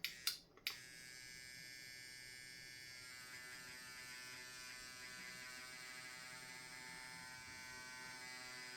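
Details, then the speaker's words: Cheap, tiny tattoo pen after being turned down to 8.6: steady but slightly wavering high whine that still sounds funky, though a little better. It runs rough, and the owner doesn't know why but later links it to the orange. "I don't know why it's doing that. I'm gonna try something else."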